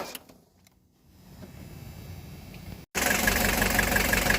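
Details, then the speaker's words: 1983 Mercedes-Benz 240D diesel that sat 5 years, cold weather, glow plug module not working and glow plugs jumped directly from a jump box: near silence, then it catches into an even diesel clatter at about three beats a second, settling to a steady idle. "The glow plug module is not working right now, and what I did is I hooked the jump box, one of the jump boxes, straight up to the glow plugs, and used the other one on the starting battery, and she jumped to life."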